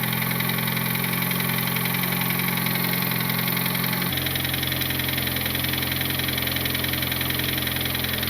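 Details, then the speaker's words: Turbo Honda Civic with R18 engine, owner believes engine blown, after checking valve lash: steady idle with a dull uneven tapping about three a second; knocking heard more around cylinders 3 or 4, cause not pinned down. "I definitely still hear knocking. Now I'm hearing the knocking more on like 3 or 4 actually."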